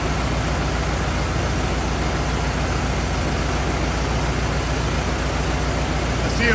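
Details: 1927 Ford TT truck, old four-cylinder, first start, choked, on battery: slow, even idle with a steady low thump, no misses or knocks; some oil leaking, owner suspects loose hogshead inspection cover; normal idle.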